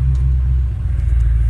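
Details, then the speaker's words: Rebuilt 6.0 diesel truck, cold start after sitting for days, battery under 11 volts. Deep, steady rumble with an even beat and no knocks or misfires. Healthy cold start. "remember it's starting like that before and it's good I mean it's good so right there uh I don't need no IDs diag I mean it you know it I mean it's been sitting for days days and days"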